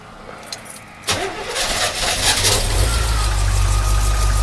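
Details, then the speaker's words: 1982 C3 Corvette, fuel-injected, fuel system overhauled after a decade outdoors, started completely cold: the starter catches after a second and the engine settles into a steady, slightly lumpy cold idle; a normal start, though it probably needs a tune-up. "So we will put the key in. It starts right up. What do you guys think? Oh. Might need to warm up just a little bit."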